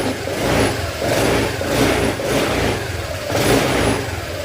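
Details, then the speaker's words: Honda Click 125 V3 scooter after the worn camshaft bearing was replaced: clean throttle blips rise and fall smoothly with no knock or clatter. The engine is healthy and quiet. "Okay, babalik na natin dahil all goods na. Wala na problema. Tahimik na yung makina."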